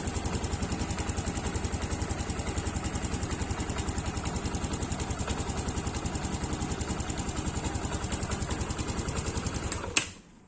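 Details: Yamaha Aerox liquid-cooled scooter after water pump seal and bearing replacement and radiator top-up, idling with a steady, even pulse and no squeak, then shutting off.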